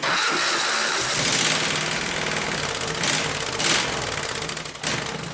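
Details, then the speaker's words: Hot rod go-cart, small engine with exhaust pipe ending just in front of the rear end, no muffler yet fitted: starts and runs with a harsh, hissing, raspy bark, loud and crackly at every blip; very loud open exhaust. "But exhaust is very loud. I've got it running right in front of the rear end."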